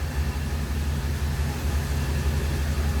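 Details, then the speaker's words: 1946 Ford Super Deluxe convertible, stock flathead with column-shift three-speed manual, started up: deep, even low rumble at a slow steady idle with no tapping or misfire; runs very smooth. "Ford still powered by a flathead underneath the hood paired with a three-speed manual transmission that's on the column runs are very smooth"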